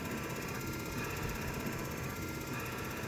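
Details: 1990 Chevrolet K1500, 5.7 L TBI V8, automatic, after repairing the squeaking driver's-side wiper pivot: a steady whir with fast, even motor ticking and no squeak from the pivots; the wiper linkage runs quietly.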